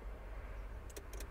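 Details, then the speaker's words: 2004 Renault Laguna 1.6 petrol, no crank, no ignition lights, immobilizer light flashing: power probe applies voltage to the steering lock pin, giving a couple of sharp clicks a quarter second apart; steering lock actuator working. "I'm going to put voltage to that pin which then we should hear the steering lock click"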